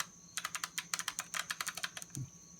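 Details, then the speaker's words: Passenger power mirror from a Mercedes-Benz W126 S-Class, motor bench-tested on 12 V; rapid dry clicking with no movement, so the gear motor is shot or stuck. "can hear some clicking but no movement yeah so the gear motor is shot or he's stuck"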